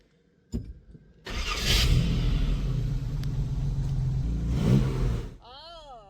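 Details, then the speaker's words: 1952 Jaguar XK120 after carburetor mixture set using the front piston-lift pin test; after a couple of knocks it fires, settles to an even beat, revs cleanly and runs smoothly. "Patsy seemed happy and soon we were back at the workshop without further issues."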